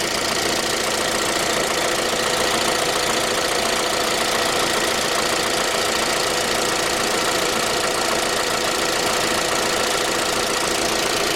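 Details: 2010 J20A engine at cold idle: a fast, fairly even light knock, three to four per second. It appeared at 10,000 km, dealer checks found nothing, and it grew louder and lasted longer after oil changes. Cause was a scored crankshaft journal on cylinder 3, and the block was replaced.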